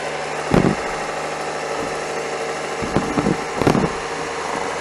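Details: Cummins 855 Big Cam IV NTC 350 diesel after an in-frame overhaul, idling after fixing a leak: even low idle with a few loud thumps from around the truck, no knock or misfire; normal diesel idle.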